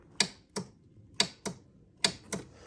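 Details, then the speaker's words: 2005 Arctic Cat 400 ATV, key turned: only sharp dry clicks and no cranking. Starter motor failed and was replaced. "the starter motor is not working uh if I turn it on and try to start it you'll hear a"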